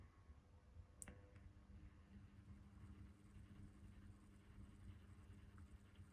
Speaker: so you can hear how noisy it is there but it runs fine you know it's pretty good pleased with this one considering it's nearly 20 years old